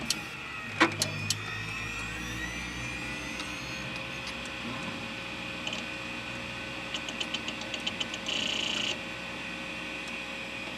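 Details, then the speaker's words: Old junked PC rebuilt as a SHOUTcast server, with a 5.25-inch Quantum Bigfoot drive and a 120 GB drive. A clunk at power-on, then a smoothly rising tone settles into a steady high whine with light seek ticks; a normal hard drive spin-up. "and we'll fire this bad boy up here just listen to this thing spin up I love it"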